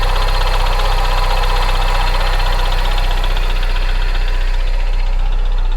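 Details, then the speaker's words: Salvage-auction flood car started on a hot day: rough idle with steady metallic rattle about four per second; owner suspects water in the oil, though the oil looks fine; cause unconfirmed. "that sounds awful that sounds horrible [Music] definitely hear all that rattling"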